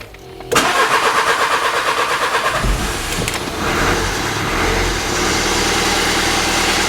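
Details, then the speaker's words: Dacia with overheating, abnormal exhaust smoke, engine noise, power loss and hard starting: long crank, then it catches and is held at full throttle, but the note sounds strained and never climbs freely. Serious fault, cause not yet known. "Là, j'ai le pied à fond sur l'accélérateur et je sais pas si tu entends le moteur, mais pas top quoi."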